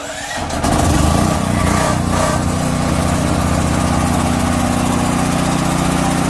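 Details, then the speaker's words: DuroMax portable house generator, fuel valve opened to feed the carburetor, idle controller on: catches within a second and settles to a steady, even run, not yet warm; normal running, pointing the fault to the propane supply. "alrighty if you can hear me because it's quite loud but the idle controller on voila gotta warm up but she's running so at least we know it's the propane"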